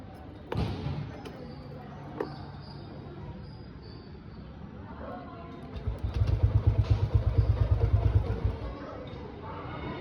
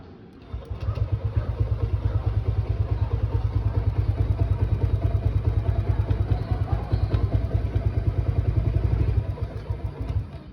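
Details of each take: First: Motorcycle fails to start after spark plug swapped for an old one: a few clicks, then brief low uneven thumps that die without catching; it had been shutting off when started, later runs after further tries. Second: Small motorcycle engine, which had kept shutting off and refusing to start, now restarted and running after a DIY spark plug job; it idles with a steady low thump, about two beats a second.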